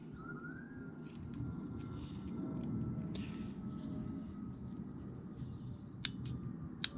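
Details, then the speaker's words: New Fiat Freemont transmission solenoid, removed from the car, bench-tested with direct voltage while diagnosing P0868 low line pressure: two crisp, sharp, clearly audible clicks over faint hiss, a normal actuation, unlike the old unit's faint click. "a very audible click."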